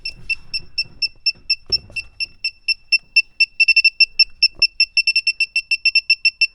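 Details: A/C refrigerant sniffer, after compressor, condenser and line connections were checked: shrill even beeps at about four a second quicken to a steady rapid chirp. Leak suspected at the expansion valve or around the evaporator.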